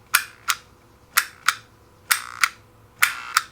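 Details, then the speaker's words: NuTone 478 apartment intercom door release wired the correct way: pairs of crisp, dry clicks about once a second with no buzz or chatter between them; normal door release click. "all they're going to hear is the click this is the way it's supposed to be done"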